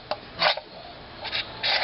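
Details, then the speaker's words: Accel Optispark distributor from a 1995 Firebird Formula, about 5,000 miles of use, cap off and turned slowly by hand: dry raspy scraping in uneven bursts as the rotor drags, scratch marks on the base; warping suspected, not confirmed. "that's not normal that shouldn't be doing that and i don't know if it'll show up but you can actually kind of see some scratch marks in this base here"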